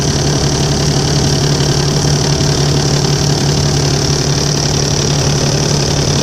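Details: Volvo 7700A diesel city bus from Budapest (FKU-942) at idle: loud deep uneven hum with loose knocking nearly three per second; weird noise these buses often make, cause unknown.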